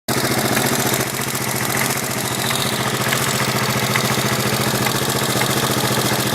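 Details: 1983 Yamaha XT550 single idling with a sharp, regular knock on each firing beat, worsening over several days; seems to come from right-hand crankcase, unchanged by clutch or gear, only noticeable at idle, vanishes under load and higher rpm; cause unknown.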